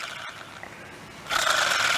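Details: Plastic Zebco 404 reel after disassembly and greasing gears with silicone grease plus penetrating spray: quiet, then bright even whir as handle turns, no grinding or catching; spins freely, healthy.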